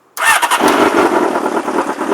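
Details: 1994 Honda CBR600 F2 after jump start: silence then short crank catching at once into lively even run; normal start.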